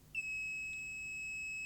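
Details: JVC BR-D85E Digital-S/D9 professional video recorder: one steady, high-pitched beep lasting about a second and a half; error code 66 flags takeup reel drive failure, suspected AN3834K driver chip.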